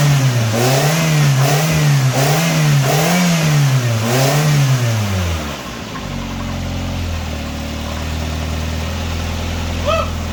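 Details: 1999 Nissan Sentra 1.6 after EGR delete and new headers installed: several quick clean rev blips then steady even idle, much quieter than before; slight oil smoke where exhaust touches oil pan; normal revving.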